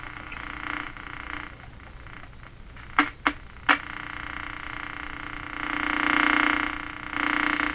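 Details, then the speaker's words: Philco Model 42-322 tube radio during alignment on the broadcast band, trying a different antenna wire hookup: warbling croak with crackles and hum over a faint signal; interference terrible, reception poor from the antenna connection. "wire exciting result so [Applause] far wow interference is just terrible very"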